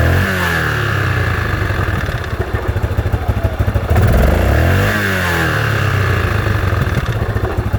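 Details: Yamaha Grizzly 660 single after a rebuild with a new Hot Rods crank and Wiseco piston: a loose clatter over the beat that comes and goes as the revs swing. Abnormal engine noise, cause unknown.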